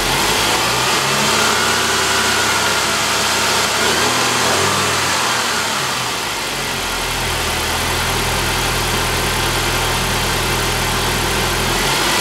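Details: 2007 Saab 9-5 2.3L turbo 4-cylinder, automatic, FWD, about 124,000 miles, front-end damaged: engine catches and settles into an even idle under heavy outdoor hiss, no knocks or misses; runs fine.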